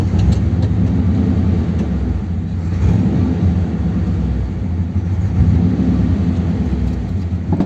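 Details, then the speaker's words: 1957 Ford Thunderbird V8 on the road after the original parts were reinstated: uneven, stumbling, surging beat, misfiring badly. It is not flooding or pushing fuel out; the cause is not pinned down. "it's definitely misfiring isn't it but it's actually running and it's not brushing fuel out so I don't know why it's running badly"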